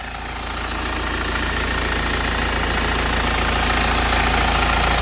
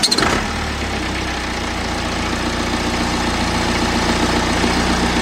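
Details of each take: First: BMW N47 diesel at idle after replacing the worn engine cover mounts. Steady, even diesel clatter with the previous buzzing and rattle from the engine cover gone; pressing the cover no longer changes the sound: normal idle. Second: BMW N47 diesel at idle, engine louder than expected and vibrating a lot: noticeably loud with a buzzy rattle on the steady clatter; engine cover rattle.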